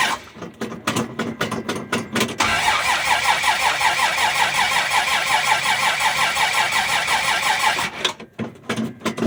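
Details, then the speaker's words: 1965 Dodge Dart, 225 cid Slant Six, cold start, fresh gas, choke wide open; slow rhythmic cranking, catches, runs rough about five seconds, dies back to cranking; cause: brand-new distributor cap's carbon centre button disintegrated. "The carbon electrode there that sticks out of the bottom for the to make contact with the rotor was completely disintegrated. And this is a brand new cap."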